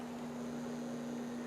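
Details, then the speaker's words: DIY wireless electric synth, still battery-powered with the original output lead: a steady low-mid hum over faint hiss on the audio output; mains hum is suspected, coming from the output lead. "I think, well, I'm pretty sure that's mains hum, and I think it's based on this lead that connects, so I want to do something about that."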